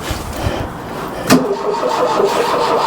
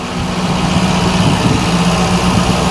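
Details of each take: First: Mk1 Ford Fiesta Ghia 1.1 carburettor barn find, cold, cranking with the choke pulled and two throttle pumps but never firing; later blamed on a slightly seized choke cable leaving the butterfly not fully closed, plus the plugs. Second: Mk1 Ford Fiesta Ghia 1.1 barn find, just started and warming up on choke: slightly raised, steady, even idle, no misses. Normal cold idle; the earlier no-start was put down to the plugs and a choke butterfly not closing on the carburettor.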